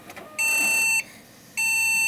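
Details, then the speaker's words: Desktop PC unused for a couple of months, fans spinning, no POST: two long high-pitched beeps with short gaps repeating continuously; suspected bad RAM stick, tested one at a time. Continuous POST beeping. "nope it's just beeping like a mofo shut up and pull the plug and drain the remaining energy on the capacitors"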